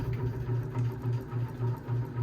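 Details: 52-inch bronze unknown-brand Hugger ceiling fan (Harbor Breeze Caratuck River blade brackets, Hunter blades, Patriot Lighting Arthur motor housing) in a cat's room: a loud low hum swelling and fading about three times a second. It wobbles heavily and moves barely any air; imbalance suspected, not confirmed.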